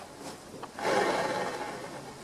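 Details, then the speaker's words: Bicycle pre-service check, chain off the chainring, crank spun by hand: dry gritty rasp from bottom bracket bearings, no side play, assembled with little grease or washed out. Dry noisy bottom bracket bearings. "they're noisy, very dry. Yeah, I can hear that from here."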